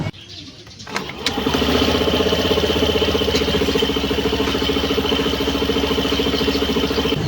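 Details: Suzuki Skydrive Sport 110 scooter CVT, one month of use: engine catches, then settles into a steady, even drone with a light whirr and no scraping, so the CVT sounds healthy.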